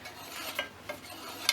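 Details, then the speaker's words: Hand-turned reel on a Scott Bonnar 45 mower during rebuild, bottom blade adjusted a half turn per side until bottomed out: soft hiss and sharp slicing ticks as reel blades drag across the bottom blade, extra ticking on the right side; set too tight. "The blades on the reel are contacting that bottom blade. You can hear that slicing noise"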